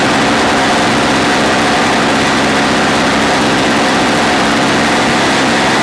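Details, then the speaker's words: Old Snapper two-stroke engine being fitted to Toro snow-thrower, fuel filter screen purged, choke on, electric start: steady even high-pitched buzz, no misses or knocks; running cleanly and holding speed. "Okay, we're going to let it run outside because it's literally blowing me out in here. But we're good to go."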